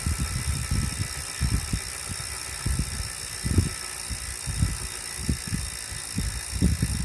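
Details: Wahoo trainer, still noisy after cleaning and a 30-minute warm-up: irregular low thumping and rumble under a steady high hiss; mechanical noise persists, cause unclear.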